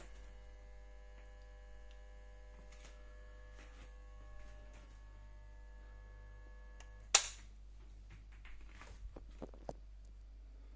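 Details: Stoves electric oven, after an engineer replaced the element: loud steady mains buzz with fixed tones from the oven as soon as the fused power box is switched on, even with no cooking setting selected; stops sharply after a click.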